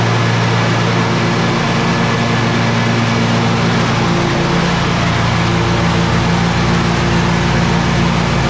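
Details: Exmark 52" Pioneer S zero-turn mower, Kohler KT720 twin, after replacing failed ignition coil (had run rough, popped, bogged under blade load): steady, even drone with no popping or stumbling; runs smoothly after repair.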